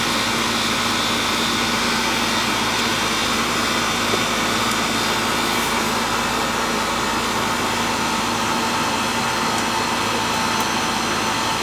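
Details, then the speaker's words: Old Goodman AC condenser, previously not cooling: constant loud fan rush with steady Bristol compressor drone, noisy by nature; running normally, cold air inside, hot discharge outside. "They call these the old brown turds, the Goodman, because they're noisy. Hear the Bristol in there making the noise?"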